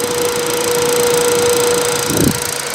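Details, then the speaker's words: Running PC after the CPU lost power while parts were pulled with the machine on: it shut down but the fans race at full speed, a steady rushing blow with a thin whine; smell of burnt plastic. "Se sammu, mut tuulettimet menee ihan vittu apeshit."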